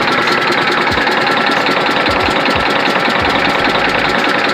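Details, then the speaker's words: Detroit Diesel Series 60 11.1 in Freightliner FLD120, cold after hard start, bad injectors: lumpy uneven idle with dull knock about twice a second, apparently running on 2 cylinders by exhaust-heat check; cause unconfirmed. "It's running off of 2 cylinders apparently."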